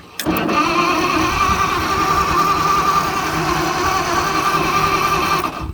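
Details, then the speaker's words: Propane-converted flathead Ford in an old Motowlift forklift, run on 12 volts: starter churns about five seconds with uneven, rough rhythm, never catches; cranks, no start. The missing spark was later thought to come from the distributor button not contacting the coil post. "I think the distributor button was just not making contact with the center, the coil post in my new port. So I think that was the problem all along."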